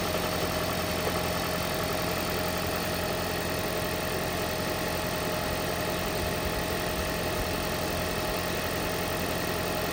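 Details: 2012 Toyota Prius: loud rough rattly engine rumble at startup that then goes away; blown head gasket, noise gone after head gasket repair.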